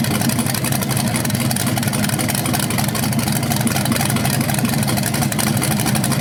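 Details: BluePrint 396 crate engine for a 1970 Camaro SS, first run after oil priming and timing check: loud, even rumble with revs, no misses, knocks or ticks; normal, though owner hears a slight flywheel or headers difference when revved.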